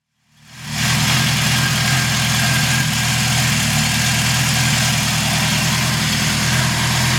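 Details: 1974 Honda CB750 K model, four-cylinder SOHC with four carbs, about 250,000 km: after the start, a steady, even idle pulse around four beats a second with no ticks or knocks; normal idle.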